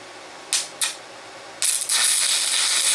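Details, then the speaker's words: VEVOR MMA 200 DC stick welder, first use, with the supplied rod: two scratch strikes, then a steady, sharp, slightly harsh frying arc. The welder suspects the current is a bit hot and turns it down to 80. Harsh stick welding arc. "Sounds good. Actually sounds like I might be a little bit hot. Turn it down to 80."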